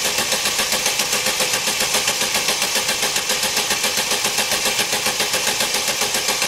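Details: 2011 Opel Meriva, stone-cold engine on a cold day, hard to start on cold mornings; steady cranking about four beats a second without firing; extended crank from a faulty coolant temperature sensor; no fault codes stored.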